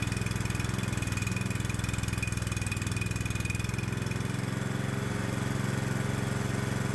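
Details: 212cc Predator small engine on a homemade adjustable electronic ignition with a GM LS coil pack, timing advanced to 47° BTDC: fast, slightly uneven chuffing with a hard, rattly edge at steady speed. Too much ignition advance.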